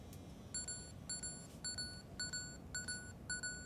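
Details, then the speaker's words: MiniDV camcorder with a broken screen, playing a random tape: a steady train of high electronic warning beeps, about two per second, telling the user to eject immediately. The tape sounded like it was being chewed, and the cause is unknown. "it's beeping and telling me to eject immediately oh oh that didn't sound good"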